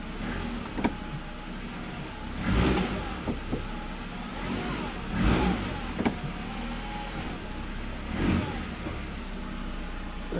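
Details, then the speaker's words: 2012 Jeep Compass, driver's side front corner: dull, uneven thumps every couple of seconds over bumps, clunking from a worn front control arm; fix is replacing the driver's side control arm. "anyways, the deal is there's a clunking noise in this front corner. Clunking noise in this front corner. Hidden bumps."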